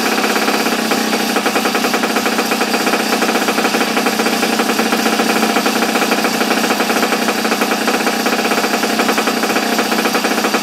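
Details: Small single-cylinder engine from an abandoned superbike barn find, started with choke on after the spark plug gap was reset. It is finally lighting and chatters at a fast, steady rate with no stumbling; it now runs evenly.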